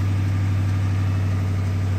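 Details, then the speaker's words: 2010 Dodge Charger 5.7 Hemi donor car at idle: deep even hum, no knocks, misses or ticks; runs smoothly, no check engine light. "yeah Starbucks sounded great see if it still sounds great [Music] so sounds good"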